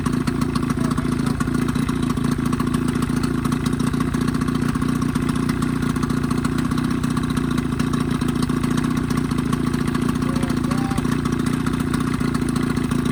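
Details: 1985 Evinrude 20hp two-stroke outboard modified to 25hp, after full service, new reeds, primer seals, thermostat; steady even idle, smooth low burble, no misses or knocks; earlier lean coughing and spitting fixed, normal healthy idle.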